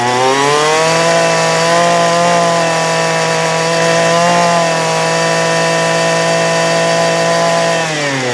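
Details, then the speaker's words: 2008 Poulan Pro PP25E 25cc straight-shaft trimmer, abused, with misrouted fuel lines and a clogged carb screen, running again: high steady buzz holding pitch with a brief dip near the end, smoking as it burns off garbage; still needs carb adjustment. "here we go it's a runner this need an adjustment which I figured it would because of the settlement you seen but uh you see it's burning all the garbage off"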